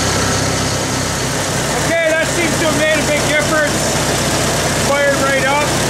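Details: 1974 International IH 354 gas tractor after a no-spark ignition fault, condenser replaced, rotor and cap refitted: steady, even idle with no stumbling or misses, only some squeaky noises over the top. It runs fine now.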